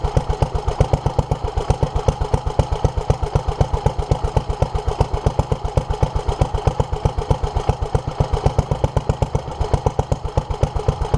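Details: 1947 Petter A2 single-cylinder engine running after its Zenith 24T2 carburettor was stripped, ultrasonically cleaned and fuel pipes replaced; started easily; slow, even thumping about two beats a second, steady and regular; fuel leak remains; healthy running.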